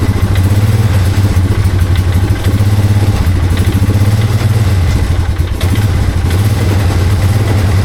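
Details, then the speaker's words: Revived abandoned 2001 Polaris Sportsman 500 HO single-cylinder, no-spark fixed by running ignition from battery, kill switches hooked up: deep, steady thump with even beat, no misses or knocks; runs pretty good, though fuel leaking and won't shut off with key. "So, the kill switches are all hooked up. Perfect. Runs runs pretty good. Ran pretty good."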